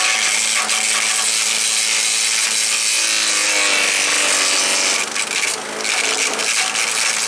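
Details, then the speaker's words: Earthquake chipper/shredder, shredding limbs: harsh rasping, uneven chewing as limbs feed in, labouring on thicker wood; small stuff went through easy, owner suspects dull knives. "I don't know these bigger ones they didn't want to go through very good but it was chopp them up"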